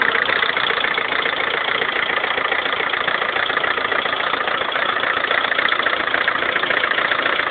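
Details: 2011 Lada Kalina 1.4 16-valve, 20,000 km, suddenly began knocking like a tractor overnight; steady fast metallic tapping about 210 per minute over idle; piston knock, cured by dealer fitting piston-rod group of different size class.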